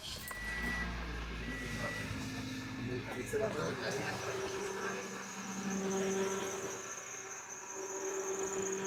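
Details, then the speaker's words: 2006 Toyota Corolla just after belt tensioner replacement (old one rattled), first start: on-and-off high squeaky chirps over the running engine, likely from the belt drive; owner unsure, suspects something done wrong or new belt. "I heard a bunch of squeaking. I didn't like that."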